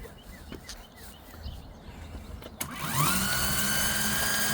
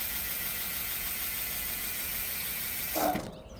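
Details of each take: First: CYC X1 Pro Gen 3 e-bike motor with X12 controller, switched to race mode using the factory twist throttle: it winds up with a rising whine, then holds a steady high-pitched electric hum with no pauses or cut-outs, running normally. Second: CYC X1 Pro Gen 3 e-bike motor with X12 controller, error code 30H with buzzing at power-up, factory twist throttle, bike lifted, street mode: steady high electric whir ~3 s, short clunk, motor pauses then restarts; no pause in race mode; cause unconfirmed.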